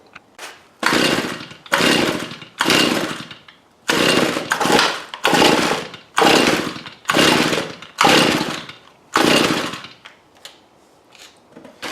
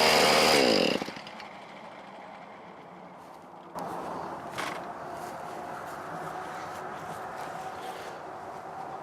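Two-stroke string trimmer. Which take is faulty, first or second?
first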